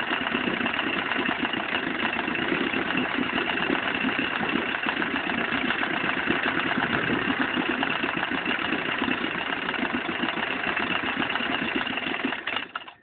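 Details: Vetrok-8 small two-stroke outboard, part 2: steady running with dense rapid ticking over a harsh buzzy drone; engine knock, cause unknown.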